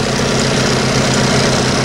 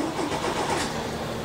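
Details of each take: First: Old boat engine after long storage, on water supply, being run to qualify: steady, even idle with deep low drone, no knocks or misses; sounds healthy. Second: Old boat engine after long storage, cranked on small batteries: starter turns over sluggishly and never catches; batteries drained with nothing left, needs another power source.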